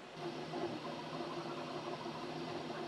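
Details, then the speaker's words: Flashforge Adventurer 5M Pro CoreXY printer printing later layers at higher speed, part cooling fan on, 50-53 dB depending on printhead speed: steady fan hiss with motor tones rising and falling; normal high-speed printing. "now that we've started the next layer the speeds have picked up and the park cooling fan has turned on and we'll get another sound reading here looks like it's between 50 and 53 decibels depending on how fast the printhead is moving"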